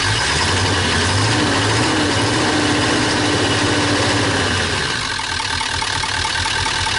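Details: 2001 Ford E350 PowerStroke diesel van, overheated and run without an air filter or antifreeze, then frozen: loud, clattery idle with an uneven knock near four per second and visible blow-by; rough running with a cracked block.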